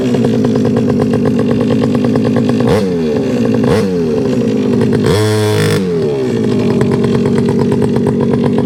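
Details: Rebo ATV quad bike, rescued from a recycling centre, running just after choke turned off: small single buzzes at a fast, steady pace with a few quick throttle blips that pick up cleanly. Quite pokey; healthy running.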